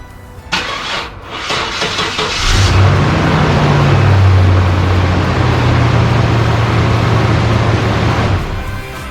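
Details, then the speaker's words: 1992 GMC Sonoma GT with starter already replaced: slow, laboured cranking about three turns a second dragging on for seconds; cause is the starter signal wire, not the battery or starter. "and that drag on the starter actually has nothing to do with the battery or the starter itself um and it actually has to do with the signal wire to the starter"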